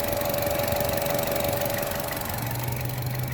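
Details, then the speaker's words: 2016 Chevrolet Trax at idle during oil change: steady idle with a humming drone that appears when the dipstick is pulled; owner had reported this noise, oil level good, cause unclear. "I hear what she's sounding. She sounds like a motherfucking, I don't know. She's humming."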